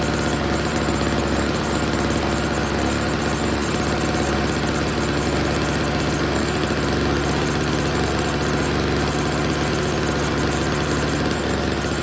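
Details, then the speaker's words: Old Snapper two-stroke snow blower, first start after storage with fresh oil-gas mix, before repair; loud, steady buzzing note at even speed without stumbling or surging, running pretty good except it's dumping gas: normal running. "Alright, it's running pretty good, except for this problem. It's just dumping gas."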